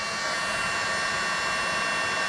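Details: Battery-powered heat gun melting solder on wire splices: even, steady airy whoosh, no surging or rattle; running strong and normal on a fresh battery after the previous one went dead.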